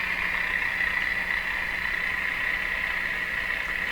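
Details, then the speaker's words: Viking EMU61 tube radio: constant hiss, steady high whistle and faint low buzz from the speaker, believed to be signal injected into the chassis coupling capacitively from the speaker. "njecting a signal into the chassis that signals going up and down the chassis it's working its way into the radio somehow through capacitive interactions coming off the speaker"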